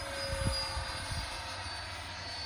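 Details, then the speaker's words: 90mm EDF F-22 model jet on stock 6S, rebuilt after a crash, in flight: steady ducted fan roar with a low uneven moaning, groaning pulse underneath; abnormal, cause unknown. "What's that noise? Don't know. Hear it? Doesn't sound good."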